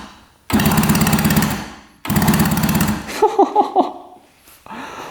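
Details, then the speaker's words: 1966 Yamaha YL1 motorcycle, not run in at least 15 years, plugs out, neutral light on: two short bursts of fast, even whirring as the electric starter spins the engine freely; normal starter cranking. "What are the chances if the electric start works? Wow, that's crazy."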